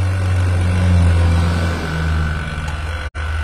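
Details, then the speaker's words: Half-HP vacuum pump evacuating a one-door refrigerator with the valve fully open, smoke from the exhaust showing air and oil being drawn out: even, low drone held steady without surging or clatter; healthy pump drawing down the system. "keluar asap ini menandakan bahwa si apa nih si anginnya udah kasih buat teman-teman ya anginnya udah kesedot oli olinya udah kesedot oleh si mesin vakum ini ya"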